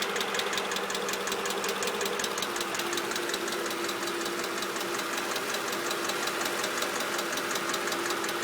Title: Mercedes clk 500 weird clicking sound